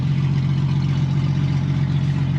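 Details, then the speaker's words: 1999 Jeep bought at auction as run-and-drive, with the check engine light on: a deep, loud droning idle with a steady low rumble and no muffling. It sounds like it has no muffler; exhaust cause suspected, not confirmed. "Chuck this thing sounds like you've got no Muffler bro this shit's broken"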